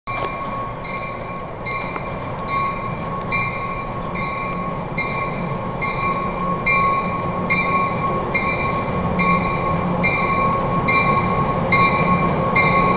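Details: Train 1713 leading set 720 through Forest Hills: a thin, steady horn note over the rumble and wheel clatter; the horn sounds weak, and it seems it hasn't been changed for a while (cause suspected, not confirmed).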